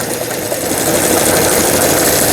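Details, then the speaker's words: Brother Libero sewing machine, about 25 years old, after burnt motor replaced: fast, even, steady needle-drive chatter with no knocks or catches while testing reverse and other functions; normal sewing operation. "버튼 눌렀을 때 후진이 정상적으로 작동되면 수리가 잘 된 겁니다. 각종 기능들 정상적으로 작동되어지는 수리를 마치고 박음질하는 영상이었습니다."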